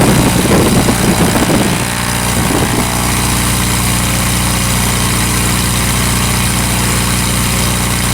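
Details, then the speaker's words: Revmaster air-cooled VW flat-four in a Sonex aircraft, started after sitting a few weeks, settles after a brief catch into a steady, even beat with no misses at about 1800 RPM; a healthy warm-up idle. "That's running. How cool is that?"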